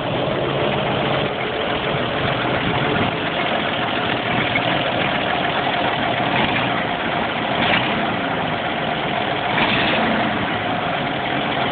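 Steady idle with a faint, dull knock ticking along under the engine note; there is a knock at idle, cause unknown.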